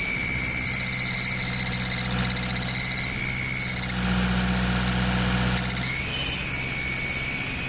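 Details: Nissan Patrol ZD30 diesel accelerating, parked or under load: extremely loud piercing whistle near 4 kHz rising with revs; cracked exhaust manifold leaking.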